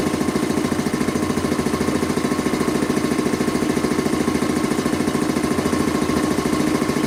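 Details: Quincy 325 air compressor test run after a cylinder head clean-up, valve rebuild and new unloader seals. Even, steady thump at about 3.5 beats a second with no knocking or hiss. Discharge valve appears to hold. Normal running.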